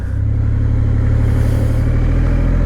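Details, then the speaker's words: 2020 Triumph Rocket 3 GT at 14,274 miles, riding away from the dealer after the rear master brake cylinder recall repair and an oil change in December: a deep, even drone with no ticks or knocks; normal running. "Okay. Boy, is it running good."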